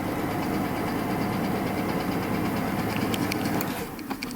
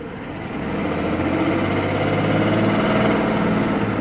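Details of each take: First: 1993 Mercedes S600 W140 V12, not run in a while, old-gas smell, pedal feels too light and ASR code set: dense, even hum with no bottom-end knock, but low power. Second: 1993 Mercedes-Benz S600 W140 V12 after wiring harness replacement: starts and idles smoothly with a steady low hum but gives no throttle response; owner suspects air mixture, others suggested catalytic converter, cause unclear.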